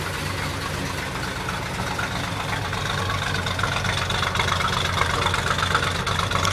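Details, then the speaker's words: 1966 Ford F100 short-bed shop truck idling steady and even with a regular low beat and no knocks or misses. It had been pouring oil from a loose nut at the aftermarket oil pressure gauge feed. Normal idle, runs pretty well. "So I got all that oil soak up stuff to pull all that oil stain out, but she runs pretty well."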